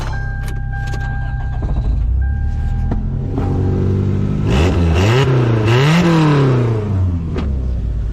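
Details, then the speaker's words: Old Toyota Corolla, exhaust pulled apart after hitting a high spot in the dirt and refitted as a roadside fix: idles low and steady, revs rise and fall smoothly with no puffing or ticking. Exhaust sealed, no leak. "Yeah, no exhaust leak here."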